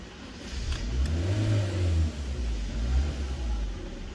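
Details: Honda Brio: engine starts, rises to about 2,000–3,000 rpm and then dies without holding idle. Intake air temperature reads 41°C and the MAP sensor stays near 96–98 kPa during cranking; a faulty MAP sensor is suspected.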